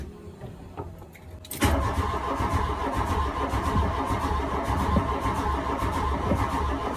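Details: 1983 VW Golf GTI MK1 that sat 20 years in Arizona, cranked after the corroded distributor cap and rotor were replaced. Starter churns unevenly for five seconds but the engine never catches; crank, no start.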